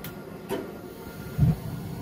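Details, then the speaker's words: Glowworm Ultimate 40FF boiler after fan replacement: fan settles into a low steady hum, a click, then a soft whump as the burner lights; fan and ignition working normally, combustion achieved. "and we've got ignition there you have it so that's it the fans replaced did you see and we've now got combustion"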